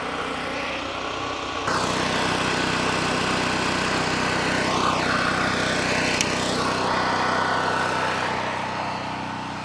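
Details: Cheap Chinese mid-size gasoline generator, first start: steady, even buzz at constant speed, no knocks or misses; running healthy after oil stopped spraying from the muffler.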